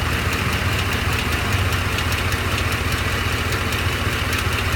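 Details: Truck at rough idle: quick, fairly regular tick about two or three per second over the engine; owner suspects a cracked flex plate, unconfirmed.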